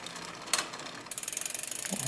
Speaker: same concept we wanted as close with no rubbing lookit here that would be rubbing that noise there we want it close and again okay we hear a slight rubbing let's listen